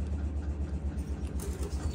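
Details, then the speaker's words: Air compressor removed from a 1999–2006 Silverado: low, even motor hum with a quick steady pulse; it runs but does not suck or pump air, so it is being replaced with new 480 units. "then it's pointless, because all it is you can hear it on, but it's not working."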